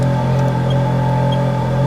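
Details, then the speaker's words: 2008 Ferrari F430 F1 Spider V8 with 697 miles from new, idling: loud, even, deep burble and steady low rumble with no misses or knocks; sounds exactly as it should. "and I'll switch it off now so you can hear me because it's very loud"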